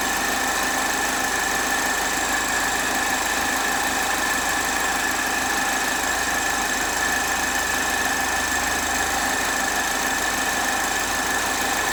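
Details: 2010 Chevrolet HHR 2.2 Ecotec at warm idle: steady high-pitched tone over a smooth run; weird noise when warm, owner cannot identify the cause.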